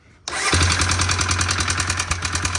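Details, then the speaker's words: Honda FourTrax 300 ATV with new aftermarket carb, owner-adjusted valves, low compression suspected, idle turned down after choke start: even sharp tick each beat from top end; suspected intake valve slapping, unconfirmed. "Now that it's down, it kind of sounds like it could be the intake valve. Yeah, I feel like it's up here. Oh, I think it's this hitting."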